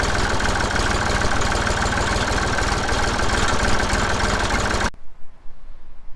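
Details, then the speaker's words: Massey Ferguson 35X tractor at about 800 rpm after fitting the new QTP silencer: steady, even low chug with no knocks or misses, then shutdown, sounding the same as the original; normal idle. "And then finally, the biggest thing is the new silencer. I don't think it sounds any different, which is good."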